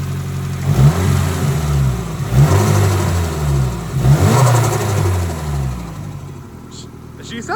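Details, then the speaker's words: Nissan S13 SR20 after repair of dented intake coupler and holed coupler, during cold start: light blips settle cleanly to steady idle, no stumble; running smooth. "So far sounds pretty smooth now."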